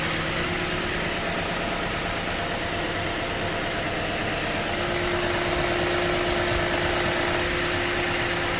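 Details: 2015 Toyota Sequoia V8 idling after 3 to 5 minutes of morning warm-up: steady light click about three per second over a smooth idle; it stopped when driven to the dealer, and the owner wonders if it is a timing belt tensioner, unconfirmed.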